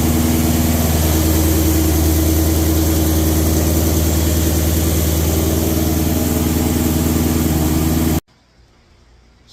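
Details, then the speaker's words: 1300hp twin-turbo Mustang after new On3 Performance replacement turbos were fitted: strong, steady, even running for about eight seconds, then a clean shutdown, no knocks, whistles or rough patches. Engine healthy. "that's it guys, gonna close this video out. Turbos are on, she's running, everything looking good."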